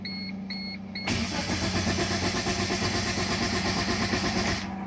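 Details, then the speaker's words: Chevy/Geo Metro (Suzuki Cultus), first generation, 64,675 km, key on with no fuel pump prime: a few chimes, then about 3.5 s of even cranking that never catches; compression sounds even; crank no start. "Sounds nice, very even. Should have a good compression."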